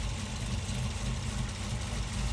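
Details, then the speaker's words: 2018 Camaro ZL1 V8 after spark plug work for P0300 random misfire, burned plug wire touching head given boot: even, low, steady idle with no stumble or skipped beats, firing cleanly; loud car. "hopefully this audio is not bad because I know the car is loud."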